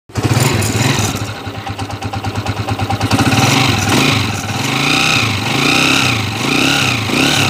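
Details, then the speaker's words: TMX155 motorcycle with 175cc conversion, before overhaul: engine starts and revs with a loud gear whine rising and falling with engine speed from a very noisy timing gear. Countershaft also damaged and replaced. "Okay so ito narinig niyo yung andar niya kanina napakaingay yung timing gear"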